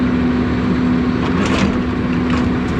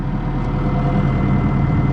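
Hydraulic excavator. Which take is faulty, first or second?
first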